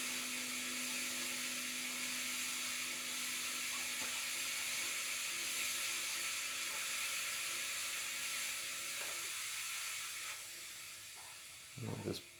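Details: Vax floor steamer during vinegar descaling run: thin, steady steam hiss with no strong rush, fading near the end; output still weak, cause unconfirmed.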